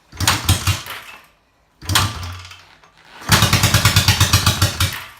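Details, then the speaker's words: Kick-started 1972 Honda CB350 twin, on a dirt bike battery after purchase (bought known to run poorly), catches in bursts then settles into an even, steady beat on both cylinders; sounds healthy. "That's both. Well, there you have it. It certainly sounds better than something we've heard here recently."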